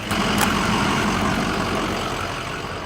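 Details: International 4300 service truck cranks with a churning beat near four a second that fades without firing; no start. Batteries read 13 volts after brief charging and are being replaced; cause not confirmed.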